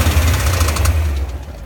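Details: 2001 BMW E39 M5 at 164,220 mi: a heavy low idle rumble with a sharp, repeating knock, clearest toward the end; owner suspects connecting rod knock, unconfirmed.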